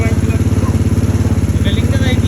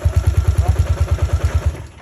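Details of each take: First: Single-cylinder motorcycle that would not start, running after a wet spark plug was replaced: even, quick exhaust pulses at roughly twelve per second with a steady beat and no misses; normal, clean running. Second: Engine cranks steadily at about eight pulses a second but never catches, then stops; the spark plug is found wet, preventing ignition, and replacement is planned.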